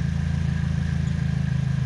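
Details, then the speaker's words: 2007 Pontiac G6 2.4L Ecotec inline-four just after replacing all four coil packs (old ones had about 111,000): steady, even idle with a smooth, regular pulse and no misfire stumble or ticking. The engine runs cleanly. "very good sounds good"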